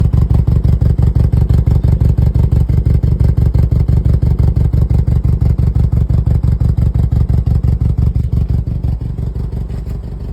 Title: BMW low compression sound (N26 engine) generic misfire code P0303